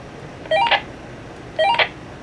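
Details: GMRS handheld radio receiving a transmission from a second keyed radio programmed to it: two short chirping beep bursts about a second apart, then squelch hiss; reception works normally.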